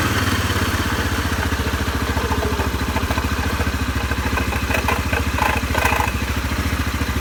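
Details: CFMoto 500 2A after water exposure: idling single-cylinder with a rapid, uneven clatter about three to four per second over the beat; odd noise from the CVT drive, cause suspected, not confirmed.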